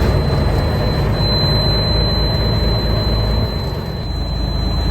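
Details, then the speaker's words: M923A1 5-ton military truck, diesel idling after start: steady high-pitched low-air-pressure buzzer while tanks build, only about 30 psi each; checking a bad air brake low-pressure switch. "So as you can see, we're starting to build air pressure. The alarm is still going off. Obviously, we're only about 30 psi in each tank."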